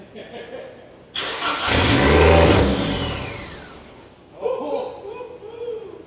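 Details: SRT-4 engine in a drift truck, first test start: catches, flares in a ragged rev, then sags and stumbles with smoke; rough running because idle air control, TPS, intake air temp and O2 sensors are unplugged; it later died from a blown PCM fuse.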